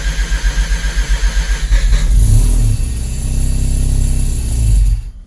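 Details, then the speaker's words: Mazda RX-7 Turbo II rotary, cold start in winter after about three months of storage, no throttle and clutch in: pulsing crank, then catches and runs lumpy and uneven; owner suspects it needs more low-end fuel enrichment. "It's pretty cold. Yeah, I haven't really, it sounds like it needs more fuel."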